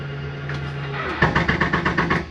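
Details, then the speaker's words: Jayco Jay Flight 28BHBE travel trailer slide-out retracting: motor drone stops, then quick even clacks about eight a second as the slide bottoms out; normal overload clutch override, harmless. "wanted you to hear that noise. Don't fear that noise. That is just an override so that your slide doesn't go too far. It's not harming the slide at all."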